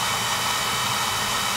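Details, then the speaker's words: Home oil burner after repair, electrodes reset, new transformer, good spark and oil flow: steady even flame roar with smooth hiss, no pulsing or sputter; clean burn, normal operation. "fixed electrode issue good spot good oil flow clean pad new transformer fix electrodes good spa good oil flow clean burn ahead so that should do it"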